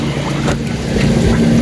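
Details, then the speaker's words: Standard brand 6 kg washing machine after gearbox replacement, filled with water: steady low motor hum with even agitation, no grinding or knocking; noise gone, runs smoothly and strongly. "Pinalitan ko na wala na siyang ingay ah bale nilagyan ko siya ng tubig yan ayos malakas pa y kanyang"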